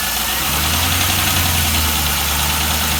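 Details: 1998 Camaro Z28 V8 with Borla muffler at idle: fast light ticking three or four per second over the exhaust; known header exhaust leak, owner suspects lifter/rocker tick; cylinder 1 misfire code, new plugs and wires fitted and coils swapped.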